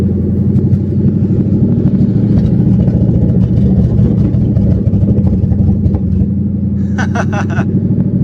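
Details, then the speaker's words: Mustang drift car V8 after fitting a used OEM H-pipe to clear a check-engine light: loud open-exhaust idle, lumpy irregular chug skipping beats; sounds like it is missing, possible misfire. "It sounds like it's blowing bubbles. That sounds absolutely atrocious. Sounds like it. This sounds so freaking stupid. Dude, this thing sounds like it's missing its ass off."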